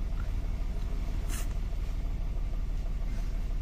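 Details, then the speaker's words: Mitsubishi Mirage, codes cylinder 3 misfire and bank 1 sensor 1 O2 low voltage; ignition coil and O2 sensor replaced, MAP sensor unplugged; low lumpy idle, uneven thump about three per second, stumbling and dropping on its own. "Yan na siya oh. Bumabagsak siyang kusa oh. Ayun oh. Andar. Tapos bagsak. Andar bagsak."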